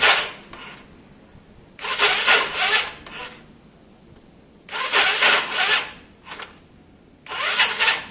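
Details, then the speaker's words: Yamaha Virago after a carburetor fix, battery about six months old: three short, harsh rasping starter bursts, cranking weakly without firing; sounds like a weak battery, owner suspects the starter clutch. "I mean it's it's crazy it sounds like a weak battery it's probably definitely that starter clutch"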